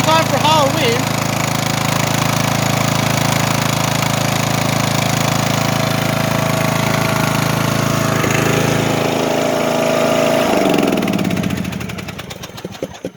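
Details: Riding mower over ten years old, oil long unchanged and dark, smoking: the engine runs with an uneven, stumbling beat and a faint tapping before winding down. Misfire and knocking attributed to lack of oil.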